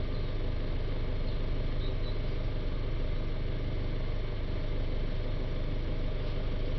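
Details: Citroën Jumper 2.0 diesel van, restarted after the DPF additive tank was refilled and reset, with DPF pressure at 4–5 mbar; a steady diesel clatter with no misses or knocks. Normal idle.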